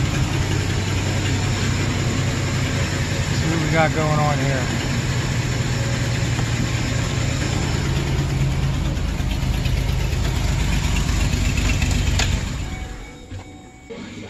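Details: 2008 Express van, petrol V-engine, misfiring at idle, tested with an in-cylinder pressure transducer: lumpy uneven beat as a dead cylinder misfires, then it shuts off; later fixed cheaply with junkyard parts, exact cause unclear.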